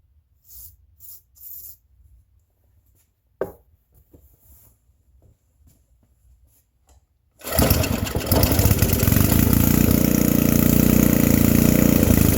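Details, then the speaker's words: Free vintage small-engine generator with varnish in it, started with a whiff of ether, killed by grounding the spark plug: after quiet handling it fires and holds a steady, even buzz with no misses; normal start and running. "Like, oh my god, I can't believe this thing just fired up."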